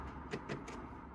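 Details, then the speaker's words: Smart Fortwo 451 after greasing the sticking clutch shift actuator that had caused hard clunks: slow acceleration back into reverse gives only a very slight, soft click with no clunk; normal quiet gear engagement after the fix. "accelerating nice and slow back into reverse a very slight click and that's it so that fixes the problem"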